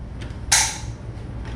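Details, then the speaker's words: 1977 Pontiac Trans Am after rewiring the AC clutch harness, key on, heater/AC switch on low: one sharp crisp click over low engine hum as the compressor clutch engages; normal engagement. "That's the clutch turning on. So, everything seems to be working."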